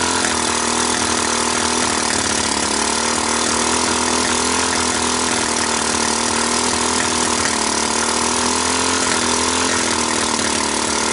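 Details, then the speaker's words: Kawasaki Bayou 300 ATV, fire damaged, compression raised from 60 to 120 psi with oil in cylinder, portable CDI, PZ27 carb, started on pure ether: revs loud and buzzy with thin weak note; owner suspects worn engine, low compression. "so it starts it runs it moves the valves seem to be sealing enough i think it's just worn out i think it just has no compression"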